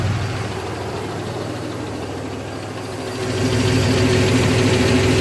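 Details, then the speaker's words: GMC Jimmy at idle then revved: faint steady knock about four per second, louder as revs rise, heard after RPM drops; owner suspects engine knock or sloppy timing chain slapping guides, unconfirmed. "Yeah, you hear it kind of after it drops the RPMs. There it is."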